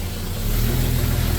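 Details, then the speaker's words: Jeep Comanche at idle, 14 volts, high oil pressure: idle note sags and wavers, engine speed dipping then recovering, no knock; hunting idle, suspected grounding issue or TPS, unconfirmed. "I want to see if it does that weird like idle thing. Oh, here it goes. Yeah. Hear that?"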